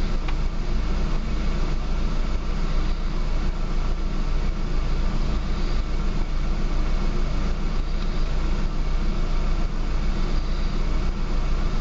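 Deep, heavy car idle with a loping, irregular pulse around two per second and no steady rhythm, so it is running rough.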